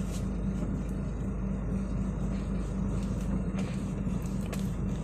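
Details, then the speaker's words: Car after replacing steering shaft universal joint bearing, driving over potholed road: smooth steady road rumble, no knocking or ticking from lower steering shaft; earlier clicking is gone. "tiada bunyi Bro hiu senyap Terus tadi saya lalu laluan yang berlubang Nippon sudah tiada juga bunyi hentakan"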